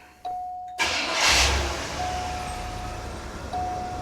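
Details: 1980 Cadillac Coupe DeVille with the 6.0 L 368 V8, after an oil change. It cranks briefly, catches quickly and settles to a steady, even idle with a chime over it; healthy start, oil pressure light goes out.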